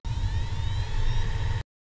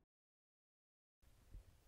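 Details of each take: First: have a listen to the sound of a hard disk when I connect it to power when you first switch on a hard dis you should hear a worrying sound which is the motor spitting up Second: Damaged hard disk switched on: a few faint ticks and one sharp click over near silence, with no spindle whir; the clicking is not the fault, and the spindle motor is suspected to have failed.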